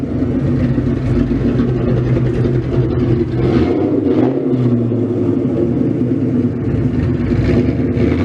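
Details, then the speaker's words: Freshly built 302 stroker Ford Mustang V8 at its first start, warmed up, given a few quick throttle blips but not revved high, still in break-in with about 400 miles left and untuned. Deep burble picks up cleanly and settles without stumbling: normal free revs. "i'm not going to give it you know too much i'm not going to rip for the sky but i am going to give it just a couple of quick taps"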